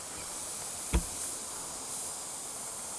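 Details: Worn mud tyre: a faint, steady high hiss under one short bump as air escapes continuously through cuts and slashes in the sidewall, which also blow bubbles in a water test.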